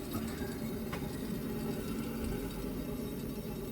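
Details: 2013 Nissan Sentra (front-wheel drive), raised rear wheel spun by hand: steady low growl and rumble from a worn rear wheel bearing, other side quiet; customer heard growling while driving; hub and bearing replaced.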